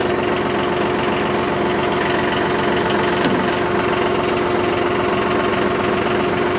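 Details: John Deere 5203 tractor with 512 loader, 740 hours, after an oil and filter change fixed its hydraulic problem with milky oil: loud, steady diesel clatter at an even speed with no surging or hunting; running smoothly and healthy.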